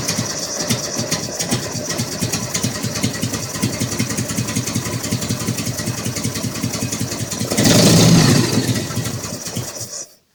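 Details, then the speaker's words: Harley-Davidson Evo V-twin just after cam oil seal replacement, test start: loping, uneven potato-beat idle with a brief rev blip, no knocks; runs fine, to be ridden and checked for leaks. "Okay, works fine. Take it for a run and check it for leaks."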